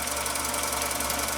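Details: Husqvarna Viking 6430 sewing machine, formerly rust-infested and locked up, now freed: quiet, even whir with steady fast rhythm, no catching or grinding; normal running.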